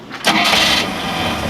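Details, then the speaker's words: 3.7L MerCruiser stern drive running on water ears, started in neutral on both batteries: brisk fast cranking for about half a second, then it fires and runs; it cranks much better on both batteries than on one. "boy it liked it on both a lot better than on one"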